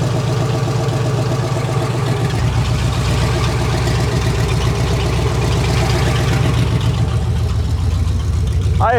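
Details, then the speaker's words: Brand-new 350 Chevy V8 with fuel injection at first start on the test stand, timing set to 10° advance: steady, even idle with a smooth regular beat and no knocks, misses or ticks. Normal idle of a fresh engine. "think that's incredible how a brand new engine started like that with that fuel injection on it."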